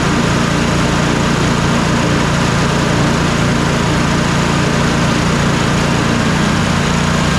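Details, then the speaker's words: Troy-Bilt twin-cylinder zero-turn mower after replacing the bad ignition coil: steady, even engine note with no misses, both cylinders now firing; runs smoothly. "you can just hear the difference as the as the mower is running that both cylinders are now working"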